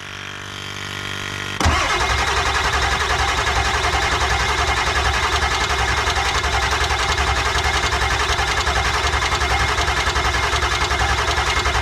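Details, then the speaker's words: Ford F250 7.3 Powerstroke diesel after injector replacement, cranking on jump box: starter turns steadily but never catches; injection control pressure only reaching about 450, too low to fire injectors, crank no start; cranking speed also thought too slow. "yeah it's getting to 450 now we'll go ahead and reset the jump box again so don't have any smoke whenever you're ready I think we need to turn over faster"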